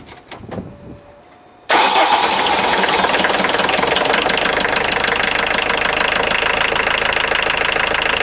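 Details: 1990 Volkswagen Jetta Mk2 1.6L diesel, start-up after alternator belt drive repair and modification, checking for squeal: cranks briefly, catches and settles to even diesel clatter with no squeal or whine; normal idle, belt drive healthy.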